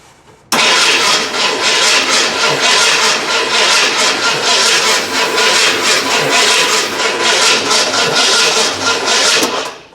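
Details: Fire-damaged 1981 Ford Bronco just bought, carb freshly filled and coil powered directly: steady starter cranking for about nine seconds with no catch or fire. Crank-no-start, with distributor and coil condition unknown after the fire.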